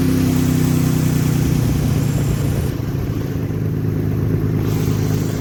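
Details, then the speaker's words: Nissan Tiida alternator conversion (fitted to the Laurel), after wiring the RB plug: battery light off, engine staying on with idle increase; even, smooth idle, steady low drone, no knocks or ticks — normal idle. "Alright. So she's staying on. And the idle increase there."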